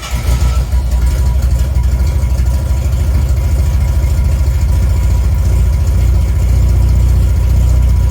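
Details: 1980 Reliant Scimitar GTE SE6A, one more start-up to hear the exhaust note, fuel lines still to be replaced. Fires straight away into a deep, even rumble that swells slightly later; starts cleanly and runs smoothly.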